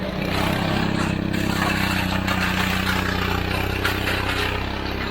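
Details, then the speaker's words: Old push snowblower, about 20 years old, just repaired and running; small single-cylinder engine putters at a steady fast beat, about four pulses a second, without stalling, normal. "What? You got it running? It runs. We bought this, what, 20 years ago? Yeah. It's definitely old."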